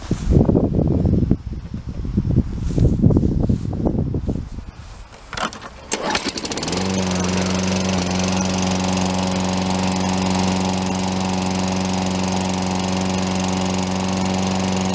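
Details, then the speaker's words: Lawn mower after tightening a loose blade, slightly flooded on first tries: engine fires and settles into a smooth, even, steady beat with no misfires or surging; runs healthy. "That lawnmower runs great."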